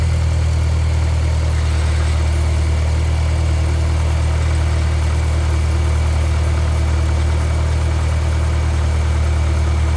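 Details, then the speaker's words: Mitsubishi 2G Eclipse after fixing a crank-no-start and replacing piston rings for low compression on cylinder three: steady, even idle with a smooth low hum and no misses, knocks or ticks; engine sounds healthy. "I went in changed the piston rings and uh now it's running fine you'll hear when I start it up"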